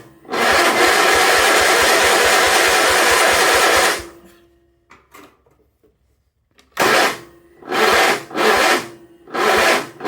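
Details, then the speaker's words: 1976 Sears SS18 tractor with spark confirmed, attempting first start: starter drags slowly with sluggish compression beats, then short failing bursts; supposedly fully charged battery too weak to crank, likely going bad. "Don't you tell me my battery's dead. Why is that always happens? If I push this clutch in. I think that battery's already going bad."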